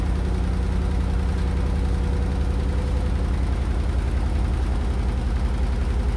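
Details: Hotpoint NSWR843C washing machine on final fast 1200rpm spin: deep heavy drone with a fast steady pulsing beat about three or four per second; rattling really loud.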